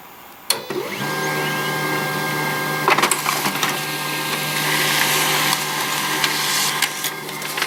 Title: HP LaserJet 1022 squeaking sound